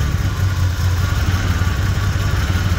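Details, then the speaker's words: Jeep at idle after new spark plugs and injectors improved running: with one cylinder unplugged, a steady low idle with a slight stumble and shake from the dead cylinder; it smooths out when reconnected. "Like, you can hear the dead cylinder there. Plug it back in, it starts to smooth back out."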